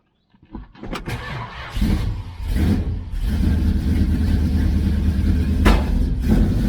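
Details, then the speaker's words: 1966 Dodge Charger, aluminum-head 383 V8, newly fitted Holley 4150 double pumper, mixture screws at base setting, cold start: lumpy stumbling warm-up idle with banging; suspected fouled plugs misfiring. "i think we had a little bit of a foul plug situation it's got a little bit of a misfire starting to re-light those holes"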